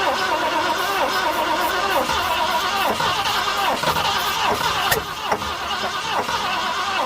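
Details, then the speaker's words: 1967 Ford Galaxie stored 35 years, after fitting new ignition points and priming carburetor bowl with fuel: cranking with irregular pops and half-catches about one a second, trying to fire but not running. "see a smoke coming from there it's working yeah I can hear it pop"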